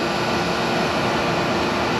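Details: In-wall AC that would not run, now running after the worn-out capacitor was replaced, about 2 minutes in. A steady, even rush of fan air with a low motor hum, no rattles or cycling; normal running.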